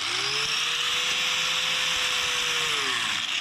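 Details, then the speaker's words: Cheap angle grinder with a poor switch: whine climbs to a steady high pitch, then drops away on its own after about three seconds without the switch being held; faulty switch cutting it out. "See, it goes off. I wasn't holding it. See, that it just happened."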